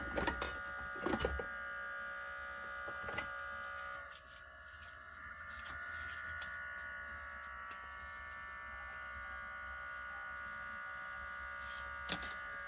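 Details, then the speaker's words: c1960 Midland portable reel-to-reel tape deck, motor running after oiling and cleaning the spindle: steady, even hum with a faint whirr and no scraping or labouring; motor running smoothly. "okay and let's put a start the motor hear the difference what a little bit of oil does to the motor okay"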